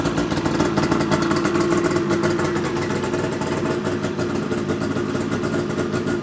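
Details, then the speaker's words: 2009 Ski-Doo GTX 600 E-TEC two-stroke sled, first start after diagnostics: loud, raspy run with rapid crackling pulses, louder than normal because a part is not fitted all the way. "me is a little loud because I don't have this on all the way"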